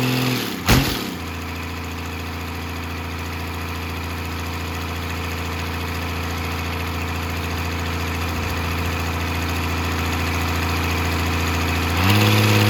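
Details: 12-valve Cummins diesel on an engine stand out of the truck, first run after a rebuild for glazed cylinders (cause unknown; deglazed). Steady, even idle clatter after the start, constant rhythm without misses or knocks; sounds healthy.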